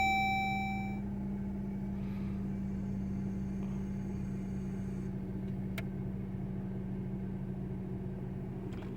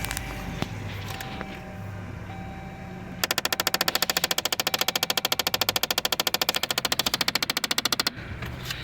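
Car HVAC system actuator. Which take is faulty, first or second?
second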